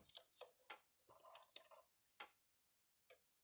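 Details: Gallagher B-series electric fence charger after fitting a new control board with the original main power board; crisp, evenly spaced ticks about once a second, pulsing normally with about 10,000 V output.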